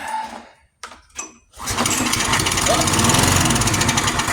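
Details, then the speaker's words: Free junk pull-start lawn mower with low compression, starting fluid squirted in directly: pulls and pops, then rough chatter about 220 beats a minute as it briefly catches; it has life. "Okay, well, that worked. So it has life."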